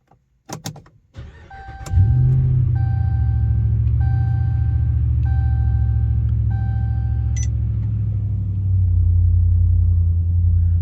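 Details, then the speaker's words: 2017 RAM 5.7 HEMI V8 after replacing all 16 spark plugs with NGK laser iridium and refitting coil packs: crank, quick catch, then smooth even idle with no ticks, knocks or odd noises; runs healthy. "Sounds good to me. At least it fired up. I don't hear any weird noises, so that's a plus."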